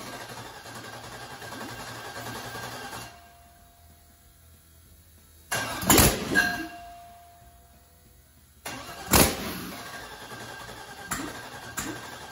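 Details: Rebuilt aluminum 5.3 LS turbo for 2014 Dodge Grand Caravan swap, harness temporarily hard-wired: short cranking bursts with uneven pops and stumbles, never idling; tune still has 80 lb/hr injector data with 29 lb/hr injectors fitted, far too lean.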